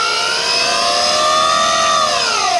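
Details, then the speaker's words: Hyundai Ioniq EV at 113,945 km: loud steady high-pitched multi-tone howl bending slightly with speed, strongest at the electric traction motor; worn motor bearing. "तो यहां हमारे पास उसका उपनाम है और यहां हमारे पास मोटर में ऐसा हॉवेल है, वैसे, कार पर माइलेज 113945 किलोमीटर है"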